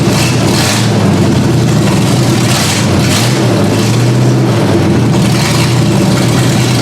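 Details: Ford Granada V8 on open headers, first start-up after work: loud idle with an uneven, hunting beat. The owner raised the idle speed and backed out the carb mixture screws until it idled on its own.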